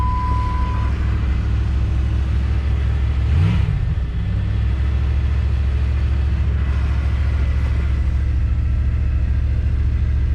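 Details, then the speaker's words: 1997 Jeep Grand Cherokee ZJ, sat for months; started cold after a battery charge. A low idle rumble with an uneven, loping beat. Rough idle; cause suspected, not confirmed. "Hold on. Ooh, almost. Rough."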